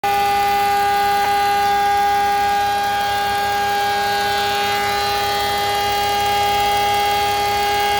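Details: BMW E46 325i at idle: constant high-pitched whistle over the idle that changes with vacuum; owner suspects a noisy DISA valve or vacuum leak, unconfirmed.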